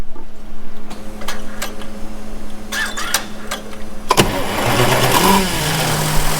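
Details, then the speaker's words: John Deere 6170M diesel after engine rebuild, not yet warmed up: steady warning beep from a stored code, then it cranks, catches and settles into an even idle. Blow-by check shows hardly any; healthy running. "Probably gonna have a little bit of blow by. They usually do right after you get done. I haven't even had a chance to warm the engine up yet."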